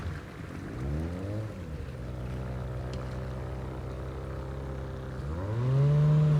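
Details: Outboard on an abandoned jon boat, sat over winter and unknown if it ran, first start attempt in water: steady two-stroke buzz, pitch rising and falling cleanly with throttle, no misses or knocks; runs better than expected.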